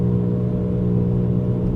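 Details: 2004 Buick Rendezvous while driving: deep, steady, loud droning rumble with nothing sharp or rhythmic; it goes away only when the wheel is turned left, source not identified.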